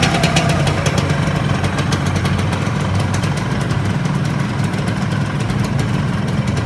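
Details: Yamaha RXZ two-stroke, being tuned after an overhaul: fast, crisp idle with steady popping exhaust pulses and a deep, even rumble, holding speed without hunting; normal idle.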